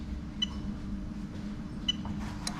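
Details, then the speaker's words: Fuel pump switched on and off: crisp single relay clicks about a second and a half apart over a steady low hum, fuel pressure shown at the pulsation damper; normal fuel pump relay operation. "okay it's a bit difficult here the actual fuel pump but you can hear the uh relay clicking and obviously you can see we've got fuel pressure because these screws on the fuel pulsation dampener are up so we know we've got fuel pressure there right"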